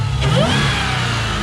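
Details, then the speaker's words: Chrysler 300 Hellcat conversion with Challenger 392 exhaust, just started, not fully cold, battery on its way out; deep V8 blips and settles smoothly with clean throttle response, no misses or knocks; normal revving. "Oh yeah, she's purring. Nice cold. Well, it's not cold, but it's a start."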